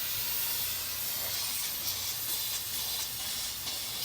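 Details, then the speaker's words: 1999 RAM 2500 Cummins diesel, 114,000 miles, wreck repair, boost leak test at about 20 after oil change, engine off: steady high airy hiss from pressurised intake; boost leak found. "Frickin' got a boost leak."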